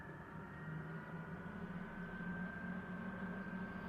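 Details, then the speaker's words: Custom Ford F150 idling before its first drive in about six years, engine running a little rough with some chatter: the ignition-powered electric radiator fans make a steady whooshing drone with a faint tone. Fans running normally. "that's the electric fans um so they are ignition hot which is nice cuz you don't have to remember to turn them on and all that"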